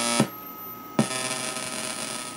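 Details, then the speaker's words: 555-timer Atari Punk Console synth on 9 volt supply through PC speakers; steady tone overlaid with rough fuzzy hiss, hum and sharp clicks; buzzing output, cause not yet found, should be one solid tone. "I'm sure you can hear it right now so let's play with these a little bit I I see I'm getting all that weird buzzing noise"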